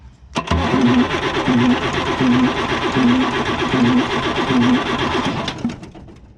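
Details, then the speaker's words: 1975 Chevy squarebody 4x4 with Isuzu 6BB1 diesel, non-running, number one injector line loosened: steady starter cranking about one compression beat a second, never catching; injection pump not delivering fuel to number one. "so let's see if we get fuel out of that when I crank it"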